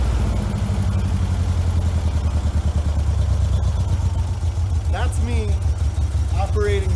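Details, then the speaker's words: 1956 VW Bug with replacement 40mm IDF/HPMX carbs, one leaking fuel (stuck needle or float suspected), driver's side carb disconnected: low lumpy idle with uneven chuff and throttle blips; engine running on passenger-side carburetor only. "just the passenger side carburetor now the driver's side [Music] is doing absolutely nothing at all"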